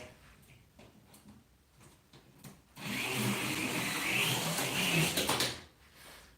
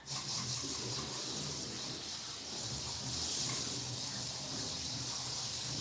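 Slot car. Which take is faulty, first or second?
first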